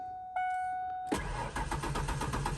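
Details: 1992 Ford Ranger XLT, 243,000 miles: starter spins the engine in an even rapid chug but it never catches; crank, no start from a failed fuel pump.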